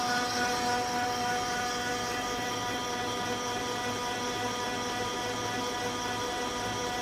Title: OKI C931e printer making loud noise at startup